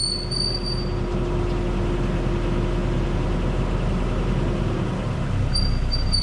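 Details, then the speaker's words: 1990 Nissan D21 pickup rolling slowly down the driveway: a high thin squeal rises and fades from a dry-rotted driveshaft center carrier bearing that lets the shaft wobble. The fix was replacing the entire driveshaft assembly. "this is the center carrier bearing as you can see it's pretty rotted out and there's a lot of play in that drive shaft every time it spins causing that squeal"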